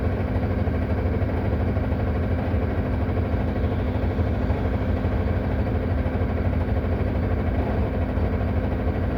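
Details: Solaris Urbino 18 bus at idle with handbrake on: large diesel idles steadily with a loud, deep, coarse rattle running continuously under the engine note.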